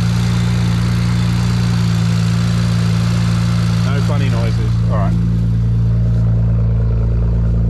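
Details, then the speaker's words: BMW E92 335i donor parts car with DCT gearbox, engine still cold after flat shifting: strong, deep, steady straight-six note, smooth and even with no ticks or knocks. Healthy engine revving. "we know that the parts car starts runs and the gearbox is good engine seems good as well in fact should we just have a quick listen"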